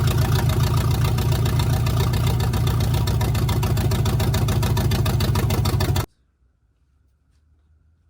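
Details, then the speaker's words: 1971 GMC truck V8 with newly installed block hugger headers: a deep, fast, uneven burble at about 3–4 pulses a second, then shutdown. It could be a dead cylinder, and the owner says the idle needs work. Rough idle. "well I got to work on the idle a little but if you're here you'd be able to hear that uh the headers definitely sound a little bit better"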